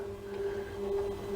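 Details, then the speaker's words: Warco WM12 mill power feed on its original speed control, 24 V motor, after belt drive conversion, run a bit faster in one direction; steady, even mid-pitched hum with no knocks or grinding; smooth and quiet, healthy. "have it a bit faster going the other way because I usually only cut in conventional milling, not Klein milling, although I do that occasionally."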